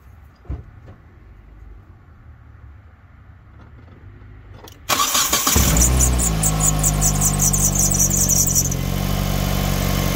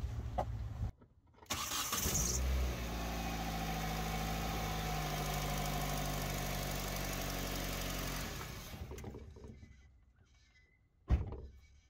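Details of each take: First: 2005 Hyundai Tucson GL 2WD, first start after replacing the exhaust manifold/catalytic converter unit and upper and lower O2 sensors: cranks and catches into fast idle with a faint quick ticking; owner suspects a small exhaust leak at the bottom, to be tightened. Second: 2005 Hyundai Tucson GL 2WD with original exhaust still fitted, before manifold and catalytic converter replacement: catches first try, steady even idle about six seconds, then shut off; normal running.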